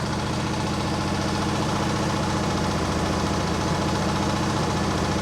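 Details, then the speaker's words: Mower with Nikki carburettor, restarted after running poorly: steady, regular idle with constant pitch and no stumbling or misfires. It now runs fine; the owner suspects the earlier problem was water or moisture. "One more time. I just had it running and now it runs fine. Nice."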